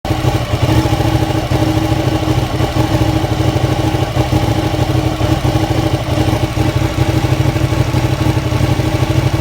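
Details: Ducati Panigale 959 sport motorcycle idling rough and shutting off: deep, uneven throb beating irregularly rather than settling into a smooth rhythm.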